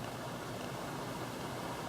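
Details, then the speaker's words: Fairly new Friedrich HVAC unit in a hotel room, fan on constant low with the heating element not yet on: a soft, steady airy rush with a faint even hum, no rattles or scraping. Quiet, with good airflow but a slight smell. "this unit is pretty quiet and it blows a good amount of air although it's a little stinky"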